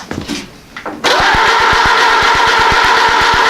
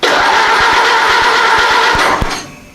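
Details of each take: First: Ford AA Doodlebug tractor engine, start attempt after timing and setting distributor point gap, spark confirmed and starting spray used: even starter cranking about three compression beats a second for nearly four seconds, never fires; cranks but will not start. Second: Ford Model AA Doodlebug tractor engine, start attempt after setting distributor point gap and timing; gas and oil shot into intake: rough, rapid firing for about two seconds, then fades and dies as primed fuel burns off.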